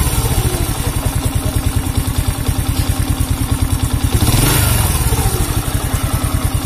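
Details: Honda C100 (Grand) small single with rough engine noise and sluggish pull: coarse clattery beat about three per second and a brief rev; source not yet confirmed.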